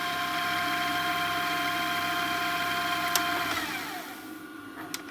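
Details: Repaired JVC DR-MV79B DVD recorder/VCR combo on fast forward with the counter working: an even steady whir of tape winding at speed, then a clean spin-down and stop, so the transport sounds healthy.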